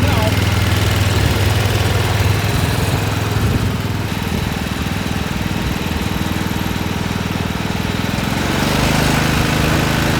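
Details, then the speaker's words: Massey Ferguson 7 lawn mower single-cylinder engine, running after many years sitting and refitting the fuel line: even low putter about 200 beats a minute with only slight flutter; normal running. "flutter there's a little flutter yeah all righty now we're talking here"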